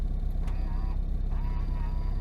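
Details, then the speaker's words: Friend's worn old Honda Civic, right power mirror being adjusted: two short bursts of loud wavering electric motor whine; unusually noisy mirror motor, cause unknown. "i've never heard such noisy mirrors"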